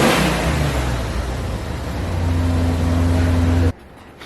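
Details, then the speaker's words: C4 Corvette engine cranks and starts after alternator replacement on ramps, pulling up through a couple of revs then holding a steady, clean drone before shutting off; normal running, nothing abnormal. "I'm just glad it crunk up and started, man."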